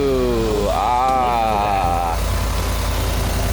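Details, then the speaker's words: Coyote V8 with 6R80 transmission, about 88,000 miles, destined for a 90s Ford F150 swap: cranks, catches with a quick rising rev, then settles into a smooth, even idle; healthy start. "sounds really good what we got here is a we got ourselves a coyote engine with a 6r80 transmission behind it"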